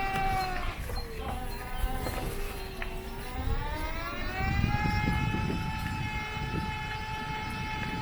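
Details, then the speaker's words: Scoozy S800 mobility scooter on off-road woodland paths; a pronounced whine rises and settles with the drive motor over rough ground, rumble underneath, appearing during the test; owner worries it indicates damage, cause unknown. "Yeah, I'm sure you can hear that whine. That's quite pronounced."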